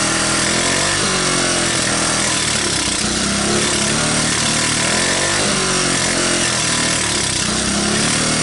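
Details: 1985 Honda ATC125M, revived after seizing, PZ27 carb and portable 12V CDI, just after cold start: revs up and down with throttle blips, firing cleanly without stumbling or clatter; runs normally.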